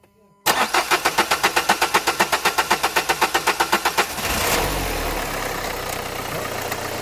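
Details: 2011 Renault Kangoo 1.5 dCi 86 hp diesel, under 100,000 km, owner suspects metal filings in Delphi injection pump: even cranking about four compressions a second for three and a half seconds, then fires and settles to steady idle.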